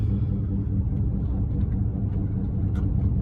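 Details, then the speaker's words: 2015 Ford F350 driving: deep, steady growl under road noise with a low rolling throb, womp per tire revolution, louder with weight, changing with steering, felt in the steering wheel. Worn front wheel hub bearing. "If you hear this sound in your car, chances are you have a wheel hub bearing unit going out."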